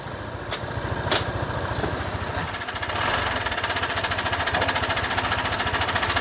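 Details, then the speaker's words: Honda PCX scooter that suddenly ran rough, after cleaning, oiling and adjusting the cam chain tensioner lifter: steady, even single-cylinder idle with no cam chain rattle or knock; normal idle after repair. "oke ya kita langsung tes saja ya teman-teman bisa bandingkan ya perbedaannya ya antara yang tadi dengan yang ini sudah langsung halus ya"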